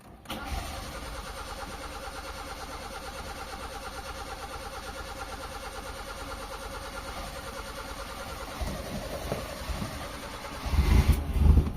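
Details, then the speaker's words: Mitsubishi Lancer 4G13 carbureted, with low power and hard starting, just fitted with a new empty fuel filter: steady cranking about two beats a second for about ten seconds before it catches. Prolonged crank while the filter fills with fuel. "Papaandarin natin mga boss para magkaroon ng gasolina. Hard starting to mga boss."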